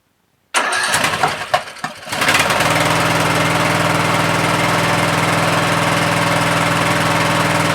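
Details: Troy-Bilt 17.5 HP 42-inch 8-speed lawn tractor that arrived not running; after fresh gas was added and the choke used, a few short cranking bursts, then it catches and settles into a steady even idle; starts and runs normally.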